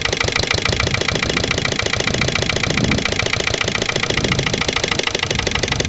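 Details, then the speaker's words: Lister LD1 single-cylinder diesel on a chilly morning, after a fuel filter change and re-bleeding. It thumps slowly and a bit unevenly at idle with knocky firing, no longer stalling after heavy loads. Owner suspects the injection system isn't quite right, maybe a missed bleeding step. "but I reckon we still got a problem with the uh the whole inject sy's not quite right hopefully we'll find out what"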